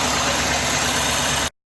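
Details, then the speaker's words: Fuel injector heard through a stethoscope placed on it while the car is cranked: quick, even ticking over a hissy engine, showing the injector is working properly. "And you can hear the injector ticking, which means that it is functioning properly."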